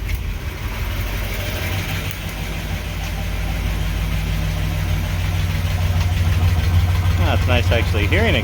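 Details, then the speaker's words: 1968 Pontiac Ventura after replacing the original factory exhaust with new pipes and a Thrush turbo muffler: deep, even burble from the tailpipe swelling smoothly as revved; sounds healthy, though a possible small leak is suspected. "That sounds pretty good."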